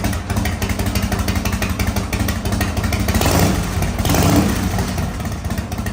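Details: 1985 Harley-Davidson FXRS Evo, sat five years, now on regular fuel: V-twin loping at idle with a steady potato beat, picks up cleanly on a short throttle blip and settles back; running normally.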